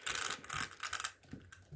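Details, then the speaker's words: Rlaarlo ROG1 1/14 RC car, 28 mm motor, after upgrading the pinion gear: light crisp clicking in uneven bursts as the gear is rocked by hand to check pinion-spur clearance; small play is normal and mesh correct. "you'll know if you got enough clearance in there you'll want it be able to move"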